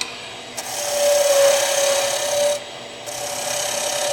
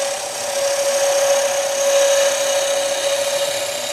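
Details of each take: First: Skew chisel on a lathe, taking a deeper cut to taper the bottom of a turned leg: a steady rasping hiss with a faint high squeal that swells as the cut deepens, from heavy force on the bevel rubbing the wood. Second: Skew chisel taking a light finishing cut along a leg taper on the lathe after the cut is started: steady, even hiss of a shaving, no chatter or catches; lighter than the high-pitched sound of a deeper cut forcing the bevel.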